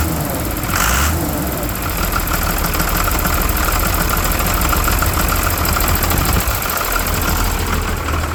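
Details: 12-valve Cummins diesel at idle; heavy clatter with a slightly uneven, lumpy beat and no steady note. Rough idle; owner suspects the injection pump, not confirmed.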